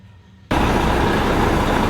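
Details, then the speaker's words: Volvo FH13 truck diesel after repair of grinding, knocking and squeaking in the engine (worn bearing replaced, parts reassembled): engine starts and runs steadily with no grinding or knocking, noise gone. "так уже лучше уже ничего такого нету"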